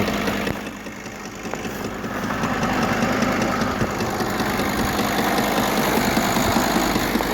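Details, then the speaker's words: Audi/VW V10 TDI diesel idling with a steady light knock, about two to three per second, that appeared after a glow plug (no. 8) fell into the engine valley under the alternator; owner suspects alternator's rotating parts striking it. Engine otherwise runs normally. "единственное подозрение есть что это может быть свеча упала под генератор и на генераторе есть это выступающие вращающейся части и они забивают засвечу вот такой вот звук появился"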